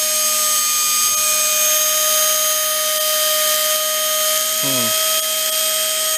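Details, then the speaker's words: Hoover Elite carpet shampooer motor from trash, previously smoked, reassembled and run unloaded without fan: shrill steady high-pitched scream with hissy crackle, fire and smoke at brushes; brush arcing, owner suspects brushes fitted backwards. "been screaming it's got Fire coming out of it oh the brushes those brushes are smoking"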